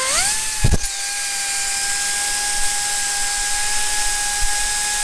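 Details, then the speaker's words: Heavy air impact wrench on a 1/2-inch air line, run free with paper shoved into its exhaust: spins up to a steady whine that sounds slightly strained and flat; choked exhaust leaves it down on power. "I'm going to put my finger over the exhaust. I just got some paper shoved in there, okay? And now I'm going to hit the gun, and I want you to see if you can hear a difference in the tone of the gun, if it's struggling or anything like that"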